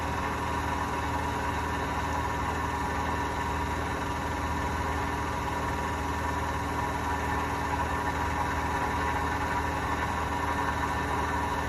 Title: Hotpoint bad bearings